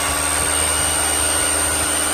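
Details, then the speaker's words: DeWalt DCH333 SDS hammer drill, damaged by unsuitable batteries, repaired and tested in chisel mode; loud even buzz of rapid blows with steady whine, no stutter, called fixed. "Hear the hammer, that harder sound, and last but not least, chisel mode,"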